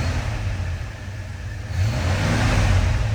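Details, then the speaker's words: 1977 Ford F-100, 302 V8: low, even V8 rumble swelling smoothly as the throttle opens, with no knocks or misses; a healthy engine. "Oh, she sounds nice."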